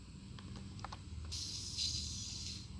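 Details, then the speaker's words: RC vehicle fuel tank fitted with a chainsaw one-way breather valve: sharp, steady hiss of escaping air when the cap is opened; tank held pressure, valve works. "yep you hear that blowing out it was blowing which means it's working good stuff"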